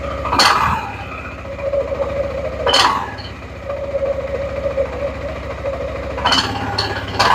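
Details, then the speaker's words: Suzuki Burgman 400 (2007-2017) after belt replacement and CVT maintenance: steady belt-drive hum with a sharp metallic ting every few seconds as clutch springs expand and pads grab the bell housing; normal clutch engagement. "That tinging is very normal because what's happening is when the clutch makes contact with the bell house, it gives a big ting. That's those clutch springs expanding and the pads making contact with the bell house. So all of that is 100% normal."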